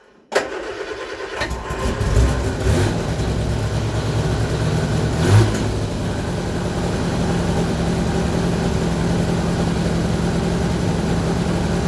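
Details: Vauxhall Viva HC after carburettor rebuild, fuel line flushed of water-contaminated fuel, new filter, running on fresh V-Power 99 octane: cranks briefly, catches and settles into a steady, even idle with a rev blip; normal start and idle.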